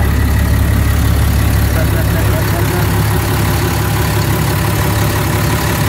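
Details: Caterpillar C7 diesel RV engine at idle just after water pump replacement and coolant refill: deep, even rumble with no knocks, squeals or misses; repair successful.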